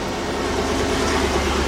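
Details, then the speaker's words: 2000-2003 GM 5.3 V8 (Tahoe/Yukon/Escalade) after fuel pump and filter replacement, key cycled three times to prime then started: low, steady V8 rumble with no stumbling or misses, running cleanly. "So now that I done it three times, the fourth time I'm going to start. Starts up and run like a champ."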